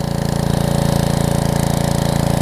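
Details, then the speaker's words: Karcher pressure washer with a 6.5hp Briggs engine, new carb installed after sitting, run for a couple of minutes. Idle had been bouncing, but with the trigger pulled under load there is a steady, even firing beat with no surging. Normal running under load. "Under load, no surging, no nothing. So again, it was just being a little stubborn,"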